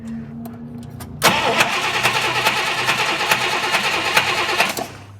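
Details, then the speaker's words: 1959 Buick with two ignition coils and aftermarket toggle switches, previously cranking with no start due to very weak spark. After the switches are flipped to a different coil, a quiet hiss gives way to an engine that catches at once and idles steadily. "well she's running so switching apparently go to different coils"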